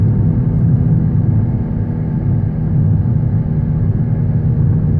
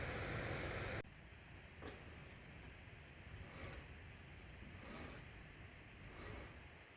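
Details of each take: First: 2013 Honda Civic, under 90k miles: a distinct low droning hum at road speed, louder over recent months, rising with acceleration and still present in neutral; seems to come from front driver's side; owner suspects a front wheel bearing, needing further testing. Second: 2013 Honda Civic, under 90k miles, with a hum rising with speed: passenger-side front rotor hand-spun with wheel and caliper removed turns almost silently with faint soft ticks, so that bearing is healthy and the other side is suspected.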